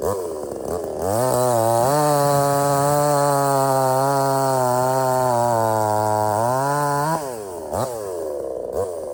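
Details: Budget Temu chainsaw shortening a hurricane-felled log, possibly rotted in the middle: revs to a high steady scream holding even through the cut, then back to idle, no bogging; cuts easily, starts easy and runs strong, normal.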